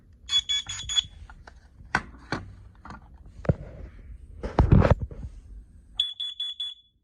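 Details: New carbon monoxide alarm with AA batteries installed passing its self-test: two bursts of four shrill beeps with handling knocks between, sounding normally.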